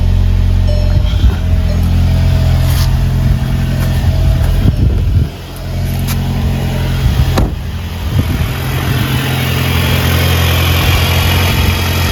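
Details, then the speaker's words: Engine just started after installing an Integrated Engineering intake, coolant topped off, engine cover on: steady low idle rumble with faint airy suction, even and settled; normal idle with the aftermarket intake, car not yet warmed up. "It's sucking already a little bit. Let the car warm up, we'll take it for a ride, see if we can get some sound clips."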